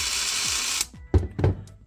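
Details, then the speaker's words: New Ridgid 18V SubCompact brushless impact driver, four-mode selector in auto mode, which senses load and stops: brief high motor whirr spinning down cleanly, then light handling clicks; normal running. "So it's making that noise because it's sensing, and if it senses that the bolt or whatever you are tightening or loosening became loose or tightened enough, then it will stop."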